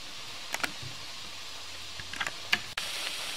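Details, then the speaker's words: Steam sterilizer heating with its valve open at zero pressure: steady soft hiss of steam venting with a few sputters and water droplets, the normal five-minute air purge before closing the valve. "you can hear the hissing you can see some droplets of water being expelled by the steam pressure"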